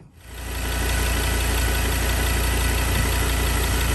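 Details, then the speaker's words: 2016 Ford Everest 3.2 diesel, 215,000 km, after intake manifold carbon clean, back from test drive: steady low diesel clatter at an even rhythm with no knocks, misses or rattles; healthy idle, no leaks, quicker off the mark and smoother through the revs. "there's obviously no leaks or problems but in terms of improvement um much quicker Off the Mark engines much smoother through the whole rev range so quite happy with it"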